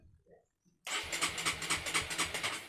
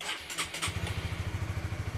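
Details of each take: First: Honda CB150R with an added capacitive touch-sensor anti-theft module, not yet activated: the starter cranks in even pulses, about four or five a second, but the engine never fires (immobilizer engaged). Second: Honda CB150R motorcycle after fitting a capacitive touch-sensor anti-theft module: a brief starter burst, quick catch and steady, even normal idle; another touch of the sensor kills the engine.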